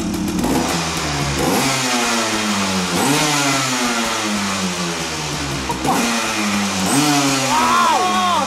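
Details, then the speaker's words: Rare Honda 250 TRX two-stroke quad, about 1986, restarted: crisp note rising and falling cleanly through several blips, picking up sharply with no misfire; healthy, impressive but stock-sounding, only slight smoke. "et est agréablement surpris parce que il fait pas un bruit euh tu vois, il fait un bruit d'origine, il fait un bruit de truc impressionnant mais d'origine."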